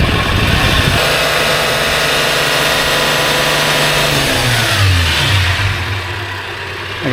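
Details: Toyota 80 Series Land Cruiser, hot after about half an hour running, revved to about 3000 rpm with oil pressure in spec: runs smoothly and falls back cleanly, no knocks or misses; healthy engine.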